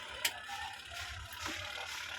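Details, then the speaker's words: Single-tub washing machine that suddenly stopped working, with the capacitor's value suspected to have dropped: faint, sparse mechanical clicks and no motor hum. The timer ticks normally, so the timer works. "gumagana naman yung timer niya. Yan o, kung maririnig niyo, lumalagitik siya."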